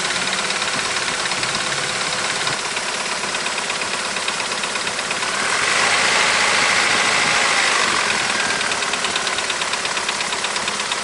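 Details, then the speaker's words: Opel C20NE petrol engine, 429,211 km, completely cold start with hood open: fast, even metallic tapping over the idle from hydraulic lifters clattering until oil pressure builds, before Wynn's lifter additive. "сейчас открою капут за еду двигатель чтобы послушать можно было как тарабанят гидрокомпенсаторы при запуске на холодную мотор абсолютно холодный не заводился"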